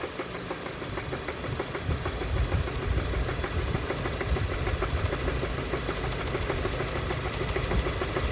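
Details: VW Golf GTI Mk7 Performance Pack, CXCB engine, revved from idle to 3000 rpm, back to idle, then to 4000 rpm; metallic knock following rpm; rod knock, suspected from oil loss after the plastic oil pan broke.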